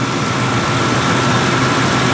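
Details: Ford 2-valve 4.6 V8 after new Dorman intake manifold replacement, cold day, warming up at idle before thermostat opens: steady even idle, smooth hum, no misses, knocks or ticks; running cleanly.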